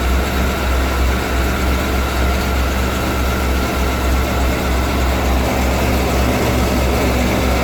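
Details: 1991 Ford E350 cutaway van, 5.8L V8 with in-tank and inline high-pressure fuel pumps, first start of the day at about minus 20: deep, even V8 rumble with a steady low throb, no misses or knocks; normal cold idle after no-start fix.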